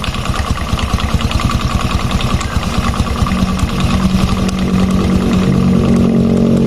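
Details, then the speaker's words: Injection Honda Revo Fit motorcycle at idle: uneven knocking about two beats per second from the right-side clutch area; traced to the worn clutch lining, area apparently never previously disassembled. "berarti masalahnya di mana lagi kalau bukan di bagian area kampas ganda karena yang berputar ya yang bergerak saat ada suara tersebut"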